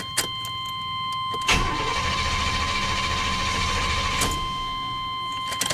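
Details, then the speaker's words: 1993 Chevy Silverado with hard-starting issues, old fuel pump relay reinstalled. Starter cranks steadily about three seconds with no firing. Owner suspects the PCM; the new relay was later found bad. Crank, no start. "Nope. Nope. Ain't cranking. I know this is a good relay."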